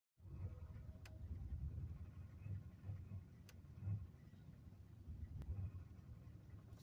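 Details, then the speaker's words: 2001 Chevrolet Monte Carlo LS 3400 V6 idling rough in park after reverse: lumpy, uneven low thrum, idle rises slightly in park; codes show multiple cylinder misfire. "so uh that's how rough she's running when I put it in park there at first I had it in reverse"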